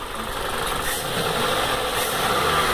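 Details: Toyota Corolla 1.8 16-valve automatic misfiring at idle; uneven, shaky idle with no steady beat, misfire traced to a clogged fuel injector spraying poorly.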